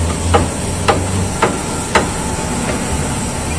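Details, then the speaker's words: Car raised, front wheel rocked by hand: four sharp single clunks about half a second apart over a steady hiss from play in worn steering rack bushings; steering rack play knock. "el compañero mueve la llanta levantada y miren Cómo hace la botella de dirección o cremallera lo jugué que tuve en la botella"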